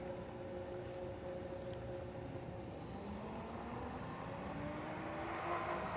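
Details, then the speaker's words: Pool pump restarting after its filter was checked for a flow problem: low hum rising steadily as the motor spools up, before the valve is opened and air bled from the filter; a normal start. "So now at this point, we just want to fire the system back up and then see if that fixed our flow issue."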